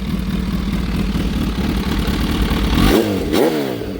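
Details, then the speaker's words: Kawasaki ZH2, briefly warmed up, with an Extreme Creations Turbo Smart blow-off valve and a newly installed BLR Tuning 3-port catch can: idle, two sharp revs, then a short hissing whoosh on throttle close; normal blow-off valve venting. "So you can hear the blow-off valve on it."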